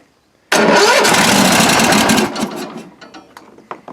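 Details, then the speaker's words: Toro riding mower started after a couple years unused, with starting spray, likely bad old gas: catches sharply, runs rough under two seconds, then sputters and dies; won't keep running, cause unconfirmed. "let's give her a shot i don't know one of them holes anyway and we'll see if she's gonna take off on us yeah ran a little bit"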